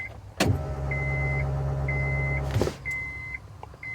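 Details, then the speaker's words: 1998 Acura Integra GSR at key-on after a fuel pump replacement; owner thinks it sounds like a Walbro. Steady low hum of about two seconds, louder than before, under a repeating chime. Normal fuel pump prime. "We'll see if we can hear the fuel pump. Oh, that's significantly louder. Yeah, that sounds like a Walbro."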